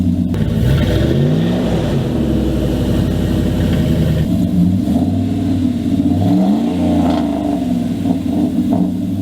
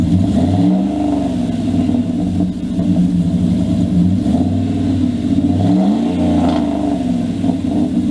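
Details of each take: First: 2000 Dodge Dakota idling and revving: loud raspy note with harsh puffing from a broken, rotted exhaust dumping under the passenger seat like a straight pipe, then a quieter deeper tone after the patch repair; exhaust leak fixed. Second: 2000 Dodge Dakota with aftermarket exhaust, after a quick clamp repair of a pipe that had rusted through near a hanger under the passenger seat: deep, even rumble with light revs and no ticking or puffing leaks; exhaust sealed and healthy.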